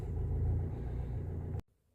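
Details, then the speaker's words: 2015 Fiat Fiorino diesel van after earth strap fix, four new glow plugs and oil change: steady low diesel rumble at idle, even, no knocks or misses, before shutoff; normal idle, no warning lights. "No lights. Starts perfect. Lovely."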